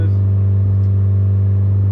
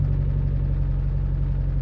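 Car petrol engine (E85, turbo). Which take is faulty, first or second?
second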